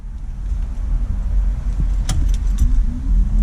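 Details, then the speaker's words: Jeep blower motor that previously worked only on high, after the resistor was replaced: low fan rumble with a hum rising in pitch through speeds one to four, with no squeal or ticking. All speeds now work normally. "and we got air you can hear it we got speed two we got speed three and we got speed four boom"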